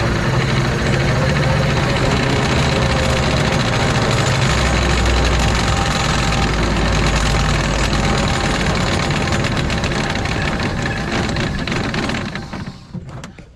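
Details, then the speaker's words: 2006 Arctic Cat Prowler XT 650 H1 idling after output shaft bearing replacement and about 20 minutes of driving: harsh continuous gritty grinding until shutoff, same as before; grinding returned, root cause of bearing failure not yet found. "all right so uh got this thing back together everything was good and now it's grinding again doing the same thing it was before"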